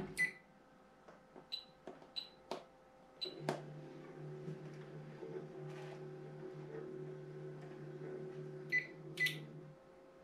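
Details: Anycubic i3 Mega 3D printer after swapping stock drivers for quieter TMC2208 drivers, new driver fan duct and quieter fan: faint smooth stepper hum, soft fan whir, a few sharp clicks; quiet normal operation.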